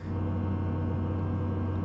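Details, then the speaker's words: Tesla: steady low droning hum with a faint ringing tone. When a route to a Supercharger is set, the car automatically warms the battery before fast charging; this is normal. "어 , 이건 예열 과정 중 에 나 는 소리 입니다 . 갑자기 슈퍼 차저 로 가는 경로 를 설정 하면 충전 전 에 배터리 를 최적화 하기 위한 사전 준비 작업이 자동 으로 시작 되며 , 이때 이러한 소리 가 납니다 ."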